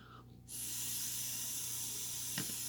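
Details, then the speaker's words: Off-bike float level check on eBay knockoff Mikuni VM-22 carburetor: blowing into fuel hose gives steady airy hiss through open float needle valve until float rises to shut-off level; normal needle valve operation. "you hear that hissing that's the air which would be like gas going through the carburetor so the level that the air stops is the same level that the gas would stop"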